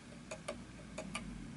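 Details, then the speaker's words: Antique 1920s Napoleon Hat 8-day chiming mantel clock on an uneven surface: tick noticeably longer than tock, uneven pairs about three per second; pendulum out of beat and clock eventually stops, needs levelling/beat adjustment via prongs at back. "Notice that the tick is longer than the tock,"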